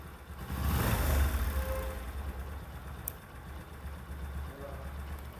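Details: Bajaj Discover 125 single-cylinder: low, fairly even putter with a little handling noise over it; idles smoothly with no top-end tapping.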